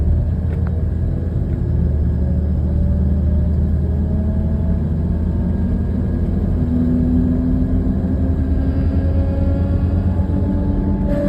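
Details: 1998 Toyota 4Runner Limited making a loud grinding/buzzing sound under acceleration, heard while driving on and off the gas and coasting; a heavy, rough low rumble with a buzzing drone whose pitch climbs as the SUV accelerates.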